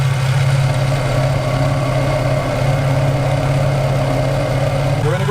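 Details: Infiniti G35/Nissan 350Z VQ35DE, bad idler pulley tensioner heard through a socket bar held on the idler: constant low droning growl with rough flutter at idle, the failed bearing causing a whine that follows rpm.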